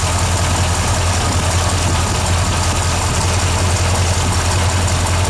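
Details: 383 stroker V8 on its first crank after a flexplate replacement: a deep, steady idle with an even low rumble and no knock or miss. The owner notes the timing may still need adjustment.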